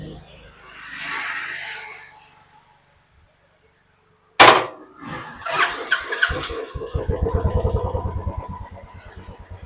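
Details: Royal Enfield BS6 Bullet that would not start, MIL dark, fuel pump silent; after replacing the ECM (programmed UC350) the MIL lights, and it cranks, catches at once and settles into steady single-cylinder thump; normal start and idle.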